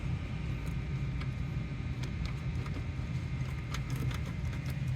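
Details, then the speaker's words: 2002 Toyota Highlander that would not crank when cold but ran fine once started: irregular sharp clicks over a low hum as a loose chassis ground cable is disturbed, making relays in the fuse box chatter. Cause is the loose ground. "miren en cuanto lo toqué tantito luego luego se escucha los ruidos ahí de los relevadores en la caja de fusibles"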